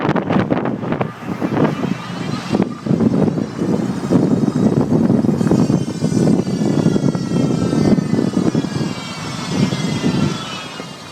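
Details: Chevy Volt: high whine with low growl rising and falling with road speed, louder under regen but also when accelerating, from the plastic "B" bearing between electric motor and gas engine; to be replaced with a metal one.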